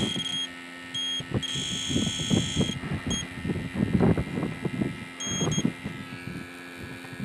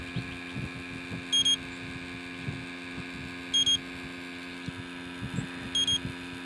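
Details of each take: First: Electronic refrigerant leak detector sniffing a refurbished R12 AC compressor on an '88 Jeep XJ: repeated high beeps in short bursts; false alarms likely from fresh freon residue at a recently used port. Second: Electronic refrigerant leak detector checking a refurbished R12 AC compressor for an '88 Jeep XJ: faint soft ticking and steady hum with a triple high beep every couple of seconds, its pump normally drawing air slowly through a filter.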